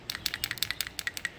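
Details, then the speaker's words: Dirty PCV valve removed from a 2001 Ford F-150 4.6L 2WD with rough idle, surging and power loss, found dangling uninserted: shaken, it gives uneven plastic-on-plastic clicks, no crisp metallic clink like a new valve; sticking. "Almost like a piece of plastic shaking in another piece of plastic. No real change noise to it."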